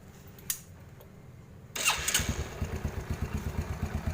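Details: Yamaha Jupiter Z after timing chain replacement: fires straight up and settles into a steady even putter with no chain rattle from the top end; healthy idle.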